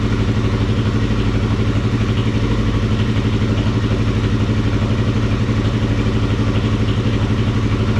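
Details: Kawasaki KFX400 ATV single-cylinder engine idling steadily after crankcase replacement and reinstallation in frame, even quick thump with no knocks or misses; healthy motor, though carburetor still leaks gas and water pump antifreeze drain was found loose.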